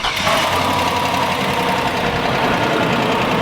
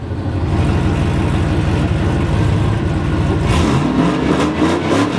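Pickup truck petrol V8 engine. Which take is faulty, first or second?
first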